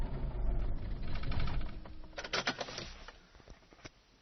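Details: 1995 Rover 623SLi with a Honda H23A3 engine: the starter churns for about two seconds, then only clicks and ticks follow without starting; the cause was a failed fuel pump, and the igniter and main relay were also replaced.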